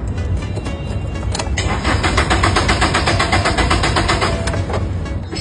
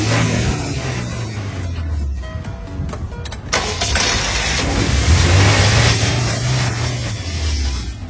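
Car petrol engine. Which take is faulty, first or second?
first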